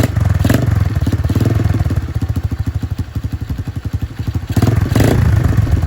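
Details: Free Dirt Master 110cc pit bike, fresh fuel, broken choke, after twisting carburettor adjustment: low, uneven single-cylinder putter that surges and sags, firing irregularly; barely runs, needs more carburettor tuning; head needs cleaning.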